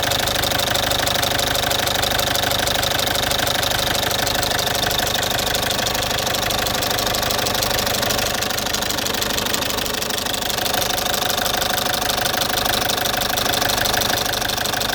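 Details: Citroen C5 2.0 HDi 100 kW diesel at idle: loud, with steady sharp ticking about three per second over the clatter; owner suspects the injector area, unsure. Injectors repaired, new piston rings, valves and valve seals about 15,000 km earlier.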